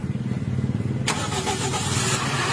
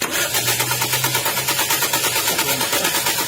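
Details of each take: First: Toyota Vios flood-submerged, not started since December, after installing an ordered part: brief cranking, engine fires within a second and settles into steady even idle. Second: Flood-submerged Toyota Vios, unstarted since December, cranks steadily about two turns a second but never catches after fuel pump replacement; problem traced further to ECU/ignition.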